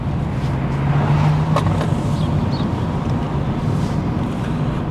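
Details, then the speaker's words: Mercedes A-Class A160 (2011), a cheap part-exchange car after work by the dealer team, driving on the road: smooth, even engine hum under road noise with no rattle or tapping; sounding amazing, mechanically feels great, normal engine running. "but it's sounding amazing so i think let's drive it see what else it needs"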